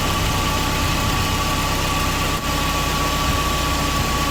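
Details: Mercedes SLK R170, 25 years old, engine idling, heard from underneath the car near the fuel filter and pump while checking a petrol smell: steady high whir above the idle rumble; owner suspects the old fuel pump is noisy.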